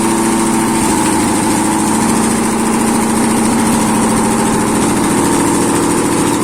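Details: ZMZ 511 V8 started after major overhaul, exhaust present: steady, even idle with smooth low throb, no knocks or misses; runs clean and settled.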